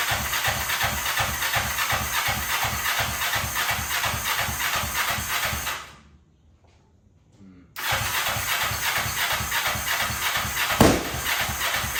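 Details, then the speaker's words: 2003 Kawasaki Ninja 500R twin swapped into mini bike frame, just retimed, dual carbs, cold on chokes, first start: ragged uneven beat, dies away a moment then catches again; revs fine but idle set too low. "I got it to fire up and it is running pretty decent, honestly. It revs. It idles. No. Well, kind of. I need to turn up the idle still, but if it revs, it sounds pretty good."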